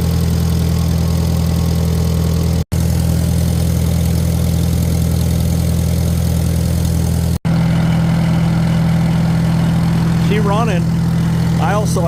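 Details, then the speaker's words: Farmall Super M-TA antique gas tractor, converted to alternator, started with a little choke, no starting aids: low, steady thump of the big four-cylinder at an even idle, no misfires or knocks; sounds good, thunderous, normal idle. "Sounds good, thunderous."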